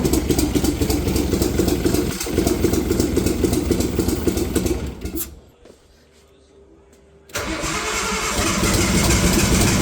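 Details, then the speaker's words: Nissan RB20 engine started for the first time in 5 years after the car's rebuild, injectors possibly not seated right: catches, runs rough and lumpy, nearly dies, then picks up; misfiring on only some cylinders, owner suspects timing or coils. "Oh, it doesn't sound very good, but holy fuck. It's doing something. It's definitely doing something. Running on some cylinders, I think."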